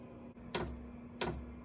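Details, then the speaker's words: Silvel 5 kW diesel heater during startup on power station, glow plug heated, about one minute in: two sharp clicks about two-thirds of a second apart over low steady hum; fuel pump normally priming the fuel line. "now the fuel pump's kicking in you can hear it clicking there so it's priming the fuel line"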